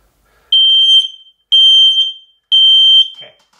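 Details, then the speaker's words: X-Sense XS01 mini wireless smoke alarm, test/silence button pressed once: three loud, piercing high beeps about one per second, clean and steady; normal individual alarm self-test tone. "So that's an individual alarm test. I apologize if that's really loud, because it is really loud to me too."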